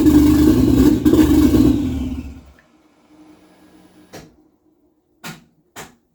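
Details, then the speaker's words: 1JZ engine in a Nova at first start, recently replaced throttle position sensor not yet fully set up, engine seemingly very rich: runs rough on throttle, sags and dies within seconds when released. Won't hold idle unless floored. "so it won't hold the idle without being floored and I move the TPS just a little bit because it I had replaced that and I haven't really completely set it up yet"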